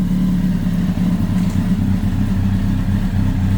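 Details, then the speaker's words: Kawasaki ZX10R four-cylinder after engine-out gearbox rebuild, first start, idling to warm up without revving, cold start valve working, temperature rising: steady even low idle, no rattling or tapping, no leaks; healthy. "sounds good no botling no tapping got no leaks going to let it one up to temperature I'm not going to give it a web just going to let it idle"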